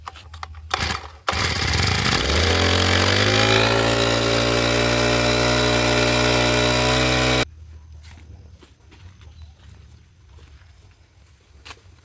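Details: Two-stroke brush cutter fitted with 2T blade, cold start after priming fuel with rubber primer bulb and ignition switch on: a couple of pull-cord tugs, then it fires, revs to a steady high buzz and shuts off cleanly; normal start and run.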